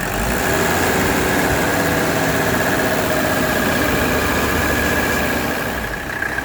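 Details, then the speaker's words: 1985 Mercedes 300SD diesel idling after hose replacement and maintenance, checked for leaks at new fittings: steady, even diesel clatter that doesn't change, no misses or knocks; engine running well. "that engine is running so good now"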